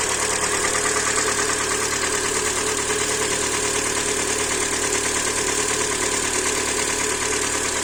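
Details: Hyundai Elantra 2014–15, G4NB 1.8 naturally aspirated aluminium engine, automatic, 51,000 km, first owner; knock began after a start in severe frost: steady idle with fast even tapping keeping pace with engine; hard internal knock, cause unconfirmed.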